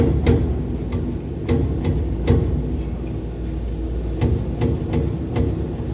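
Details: Condenser fans 1 and 3 running with a low rumble and sharp, uneven clicks about twice a second; condenser fan motor bearing failure.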